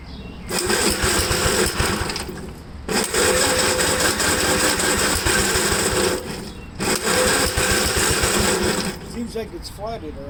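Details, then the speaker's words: 1954 Gravely tractor after cleaning another carburetor: engine runs in uneven bursts, dying and catching every few seconds with a lumpy beat; same rough running and surging as before, cause unclear. "um it seems to me for that little bit that it ran that it's doing the same exact thing"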